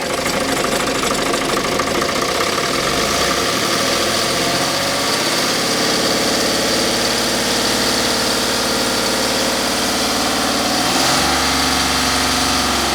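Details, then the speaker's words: Magirus Deutz 170D11 diesel truck at full pedal: a loud roar tops out low, then revs climb when the injection pump lever is pushed by hand. Low maximum RPM because the throttle linkage loses travel, and the pump lever still has a ways to go. "the pedal is all the way down now H interesting still has quite a ways to go so we are loing that movement somewhere in this throttle linkage"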